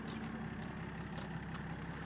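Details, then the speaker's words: BMW X5 diesel, started with a booster pack, settles into a steady, even idle with light regular clatter and no misses; starts well and runs normally. "et il tourne il tourne il démarre il démarre bien en plus c'est ça qui est"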